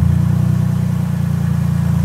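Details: Van with a dead battery jump-started with a Schumacher 1500 amp lithium jump starter: deep, throbbing idle with an uneven pulsing beat, running but not well.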